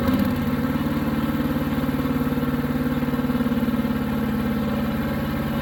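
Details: New Harbor Freight Predator 212 chipper shredder, break-in at low idle: steady even idle about three to four beats a second, no surging or stumbling.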